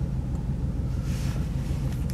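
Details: Mercedes W140 500SEL V8 just started: low, lumpy idle that surges and stumbles; MPG gauge on zero, no power, apparent limp mode, heavy fuel use; very rough idle, cause unknown.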